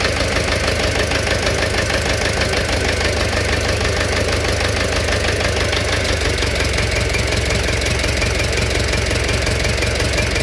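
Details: Engine knock at steady idle: a sharp, fairly regular tapping of roughly three a second comes from inside the engine; cause not yet pinned down.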